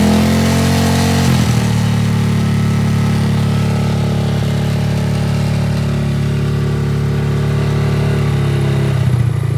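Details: Honda Grom single-cylinder engine after fitting an idle adjuster screw from a 2005+ Honda CBR600RR: catches and settles into steady, even idle thump with slight rise near the end; no misses.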